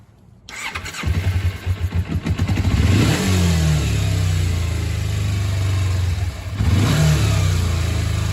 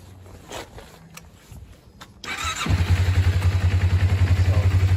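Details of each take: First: 2001 Kawasaki Ninja 250 with a vacuum leak deliberately created by removing the carb vacuum-port screw: starts, then the idle hangs high, drops and climbs unevenly, and bogs from too much air. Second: Normal idle on a 2001 Kawasaki Ninja 250 before a vacuum leak is introduced, with the petcock vacuum hose removed: the engine cranks, catches and settles into a steady, even idle with a regular low pulse.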